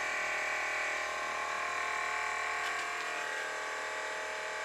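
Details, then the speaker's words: Abandoned Audi Q7 air suspension compressor, running after two new 40 amp fuses were fitted, with a steady even electric hum at one pitch, no cutting out; pump working, car raising. "you're working well the pump's definitely working can hear it"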